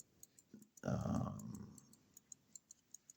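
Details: Elgin pocket watch, an eBay non-runner with a broken balance staff. A handling thump, then fine ticks resume at about five a second, steady and even: normal running.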